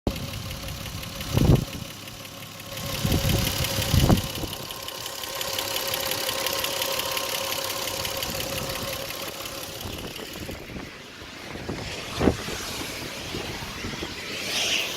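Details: 1998 Lexus GS300 petrol six: fast, light engine ticking at idle and revs that keeps pace with engine speed, louder with revs, mildly heard in the cabin when accelerating.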